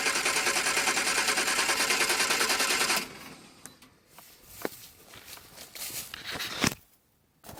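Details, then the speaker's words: Barn-find Triumph Spitfire after carburetor rebuild and new jet: quick even starter cranking about three turns a second for three seconds, no firing at all because the ignition coil was left unplugged. "I'm really dumb I forgot to put the plug the coil in there"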